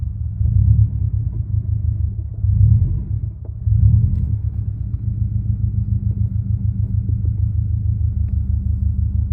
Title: Clutch rattle noise